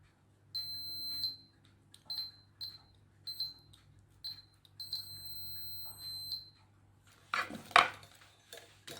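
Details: Makita 8400D 9.6V cordless hammer drill, push switch with cleaned corroded contacts tested negative to negative and positive to positive: sharp high beeps, several short and two held about a second; normal continuity, solid contact.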